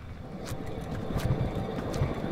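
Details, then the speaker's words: Ford F-250 with 5.4 L V8, 280,000 miles, shimmy at highway speed, raised left front wheel spun by hand: low rough rumble with faint clicks, a worn left front wheel bearing needing replacement. "rightly it's going to need a left front wheel bearing in fact wheel bearings to wear out with 280 000 miles and me if it was my truck i would change both wheel bearings just to make it safe"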